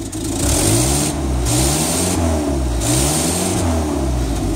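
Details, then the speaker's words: 1961 Land Rover Series II petrol engine on choke after new muffler install, revving: sharp puffing hiss on each rise from exhaust leak where downpipe meets manifold; running a bit rich on choke. "Alright, she's running now. You can probably hear that exhaust leak is pretty bad, but now I can blow the leaves away without without deafening myself."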